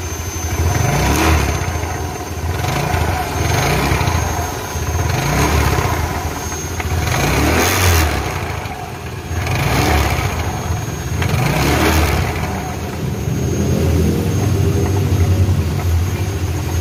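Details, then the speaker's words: Yamaha Mio Sporty scooter engine blipped repeatedly: rough tek-tek rattle from the CVT area, typically from long use wearing the pulley, automatic clutch lining or rollers. "Oke, kali ini kita punya Mio, yang mengeluarkan suara berderak, suara berisik."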